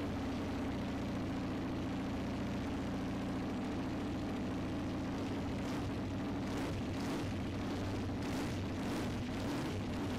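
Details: KTM 990 Duke V-twin after fuel filter kit and oil pressure switch replacement: steady, even idle with firm low beat, no knocks or misses, a few light blips near the end; normal healthy idle.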